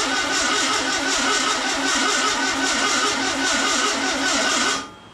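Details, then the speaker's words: Freshly built VW Beetle 1679cc single-port air-cooled engine, Scat C25 cam, dual Empi ITC carbs, first fire-up during cam break-in at fast speed, timing spot on: even, steady smooth beat before shutdown; normal running. "Got timing spot on for the first fire up. Man, that was awesome."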